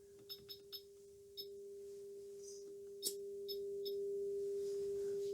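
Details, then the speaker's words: Late-1960s Siera SA4311A (Philips 22RB382) tube radio, output transformer tested with 400 Hz on the primary, workshop speaker on the secondary: clean, steady tone, a few clicks aside; output transformer fine. "see so it's clearly working so that means that the output Transformer is fine"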